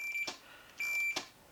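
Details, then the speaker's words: 1992 Arctic Cat snowmobile, ignition and safety switch diagnosis: two clean high multimeter beeps with clicks between show continuity through the throttle safety switch. "can't run unless that beeps so that will fix the ignition problem"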